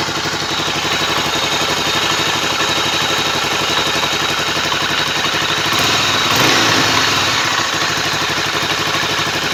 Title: Tornado ruido en el motor al final era la canasta de embrague!!!